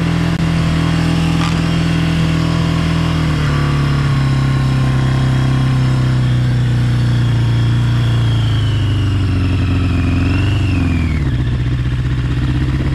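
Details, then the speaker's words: 1982 Yamaha Maxim 650 motorcycle, with cracked fuel hose, high idle and wonky starter; strong even engine note that holds then eases down smoothly, no misses or knocks, runs clean. "real nice honestly that idles up and feels nice"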